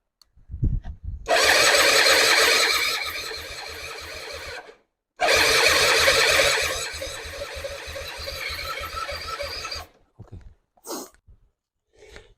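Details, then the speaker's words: Non-running Suzuki Intruder 250 LC motorcycle, spark confirmed: starter spins steadily with even compression pulses about three per second but never fires; owner then pulls both plugs for compression test; cause unconfirmed. "We'll see about this. Come on. Come on. Old girl on. It's not drinking anymore."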